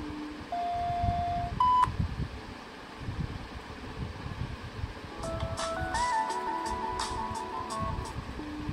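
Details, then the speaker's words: Used Samsung Galaxy Z Fold 3, *#0*# test mode speaker test: clean steady tones at several pitches from bottom-firing and top speakers, no buzz or crackle; speakers working normally. "Bottom firing speaker से आवाज आई comfortable और top speed से आवाज आ रही है"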